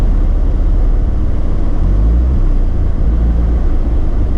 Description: Once the engine has warmed for a few minutes the idle is up and down with misfires at low rpm.